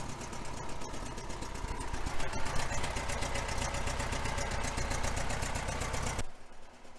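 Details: 1966 VW Fastback air-cooled engine idling after long storage: steady idle with a quick, light ticking on top, about four per second; exhaust leak at the rear heater box to cylinder head joint.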